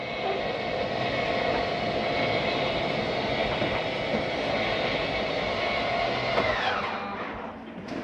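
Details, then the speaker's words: Jayco Eagle 28.5RSTS slide-out retracting; the bottom pops up before the top goes in because the slide mechanism is on the bottom. An even motor drone with light gear whine cuts off cleanly. Normal retraction. "You'll notice on slides the bottom pops up first before the top goes in. That's because the slide mechanism is on the bottom."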